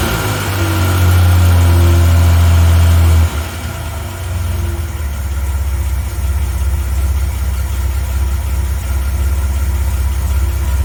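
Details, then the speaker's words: 1980 Reliant Scimitar GTE SE6A, restarted on its own after standing 10 minutes: brief blip then steady, even low idle with smooth regular firing and no knocks or misses; sounds healthy. "Yeah, she sounds lovely."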